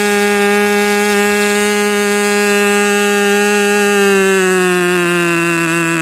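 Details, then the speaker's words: Rebuilt K&B 40 #4011 model engine (new bearings, ring, gaskets, hand-honed cylinder), 10% nitro fuel with 4% castor, 10x6 prop, about 12,300 rpm; steady high scream that sags and drops pitch; running rich, new ring not yet seated. "so it's just not broken in yet that ring is still seating now you could tell also it was running rich and it was what twelve thousand three hundred something like that"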